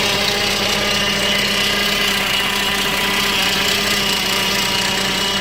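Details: Neglected, modified 2005 Saab 9-5 Arc with a missing brake booster check valve: slightly uneven, surging rough idle with faint stumbles and a P0300 misfire code; it sometimes dies when coming to a stop. Cause not confirmed.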